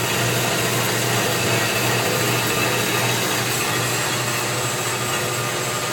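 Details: Unused Turn Pro 10x17-inch belt-drive horizontal band saw, 220 V 3-phase, coolant system on: even whir, light steady hiss and soft regular tick from the drive; runs smoothly and sounds healthy.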